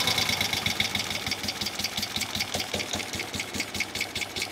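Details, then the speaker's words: 1971 Moto Guzzi Ambassador twin during a tune-up, adjusting the carburetor screws at idle: uneven, loping idle with missed, irregular beats about two per second; one cylinder runs weakly while the other side runs better. "man that cylinder just does not like to run as well as yeah okay now not bad still running a little better on that side"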